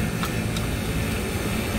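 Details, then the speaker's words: HVAC rooftop unit vacuum pump pulling down the refrigerant circuit after leak repair; steady even low drone holding pitch without gurgling or labouring, no sound change indicating air seepage — normal deep, leak-free vacuum. "oh man that's good that's we're in a deep vacuum right now I think we got it"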